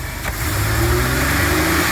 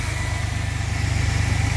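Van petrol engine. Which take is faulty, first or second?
first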